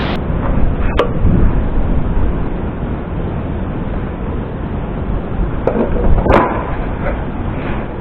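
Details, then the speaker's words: Small carbureted motorcycle idling evenly with a low steady putter after flood-water fix (carburetor drained of water, spark plug checked, tank cap opened); no longer dying or stumbling. "Atting pansin po natin hindi na po siya namamatay. Hindi na po nagpapalya kumbaga matining na yung pinakaidling niy"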